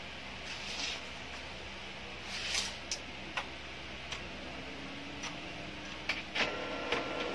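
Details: Brother DCP-L2540DW laser printer (same issue on MFC-L2700/L2740DW): motor runs with scattered sharp clicks and snaps over a faint rising whir; suspected noisy or slipping gear, not confirmed.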